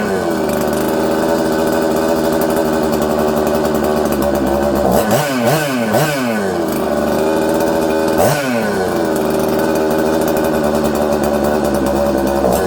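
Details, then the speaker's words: Husqvarna 266XP chainsaw with a faulty carburetor: high two-stroke scream around 4000-5000 rpm that surges and sags instead of holding steady, crisp then not, loading up with fuel as if it has an air leak, and wanting to die when the throttle is touched. "hmm you guys hear that um it's all over the place it sounds good it's crisp but then it's not uh it's loading up with fuel like it has an air leak okay"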